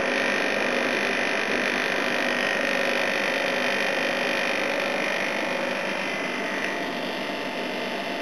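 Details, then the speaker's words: A/C unit on its proper run after its compressor sat for oil (sounded oil-filled on an earlier try): even compressor hum under steady fan rush, head pressure building, no rattles or cycling; running normally and cooling. "It's definitely working. Cool, I've got some head pressure now."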